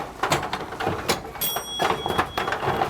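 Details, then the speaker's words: Richman Corp Set-Shot Basketball vintage two-player arcade game, repaired after its glass was smashed, running during play: uneven clacks from balls and score steppers over a light whir from the high-speed centre spinner. Normal operation. "all this machine does mechanically is Count scores and spin the balls there's a spinner in the middle you see it that's turning at a high speed"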